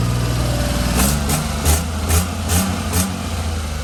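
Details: HiJet mini truck after head gasket, timing belt and water pump replacement, coolant test with water showing no bubbles: steady low idle with a few brief louder pulses, otherwise even with no knocks or misses. The engine idles normally.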